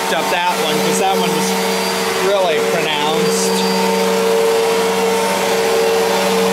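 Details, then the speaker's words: 1999 Fantom Fury vacuum: steady motor hum with a shifting warbling whine rising and falling, also wrong at switch-on and shutdown; owner unsure whether bearings or suction motor are failing. "let it wind down and turn it back on cuz it really doesn't sound right when you first turn it on uh oops it doesn't sound right turning off either"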